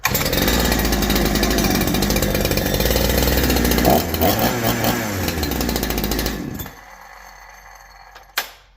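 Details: Holzfforma G372 chainsaw after crankshaft seal replacement fixing factory air leak, chain off: fires and revs up and back down cleanly under throttle before cutting off; now responds to throttle, previously wouldn't tune.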